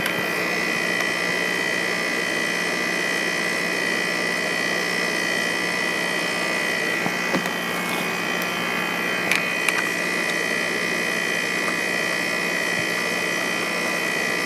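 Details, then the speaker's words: Heat pump outdoor unit at 31° outdoor temperature, heard during a service call on water damage from a frozen drain: a steady compressor hum and fan whoosh with a few faint clicks, even and untroubled. The heat pump sounds healthy. "you can hear the heat pump already sounds good sounds healthy"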